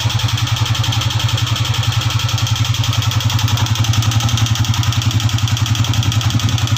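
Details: Honda CG125 old non-Euro 2010-11 model after ring and piston work; persistent tick at idle not cured by tappet adjustment, stalls at slow idle; sharp even tick about 220 per minute over steady idle: tappet noise, loose clearance from jammed rocker.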